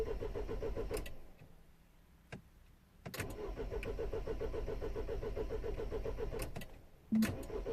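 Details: 2010 Mini Cooper S 1.6 N14, non-runner: starter churns evenly about two turns a second, never catches, crank no start; no crank or cam signal reaching DME, fuel pressure during cranking very low.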